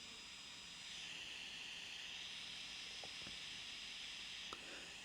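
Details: Kandao 8K 360 Pocket camera after 8K recording is stopped: a faint, steady, high-pitched airy whoosh that swells as the small cooling fans spin back up.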